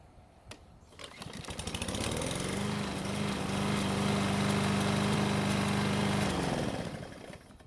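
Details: Single-cylinder mower after cable repair, oil change, blade sharpening and clearance check: hot engine catches after a brief pull, settles into a steady even run, then shuts down cleanly; healthy running.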